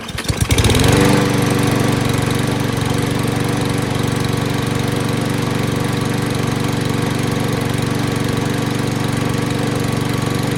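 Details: 2020 Craftsman M215 mower, 159cc engine, after carb cleaning and blade repair (was dirty carb, loose blade): starts at once, steady even single-cylinder drone, no hunting or misses; normal running.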